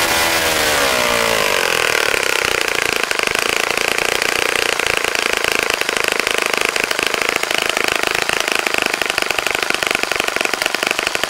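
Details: Saito FA-65 model four-stroke, first run after rebuild, APC 12x6 prop, Morgan's Omega 10% fuel, Fox Miracle plug, primed heavily to start: raspy buzz picks up then holds steady high revs without misses; normal healthy running.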